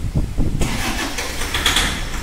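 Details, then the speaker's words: Toyota Fortuner diesel cranks and catches roughly with a harsh knocking clatter on start, then stalls; emits white smoke, check engine and ABS lights on, pickup drop reported. "Friend इसमें problem क्या है जब गाड़ी start करते हैं तो फूल knocking कर रहा है कब तक नोज का आवाज ए रहा है और व्हाइट स्मूथ भी मार रहा है"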